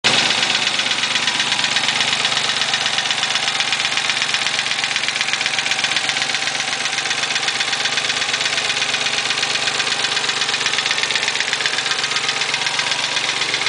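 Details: Nissan 300ZX petrol engine idling with a sharp, steady tick about four times a second, a pretty bad lifter tick; suspected, not confirmed.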